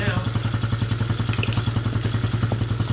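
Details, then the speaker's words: Coleman AT125UT ATV that didn't run, just started after what may have been a backfire: small engine idles with a sharp, rapid puffing tick on every firing pulse, a big exhaust leak heard at the exhaust, to be tightened. "we got a big exhaust leak. Because I hear it out of here."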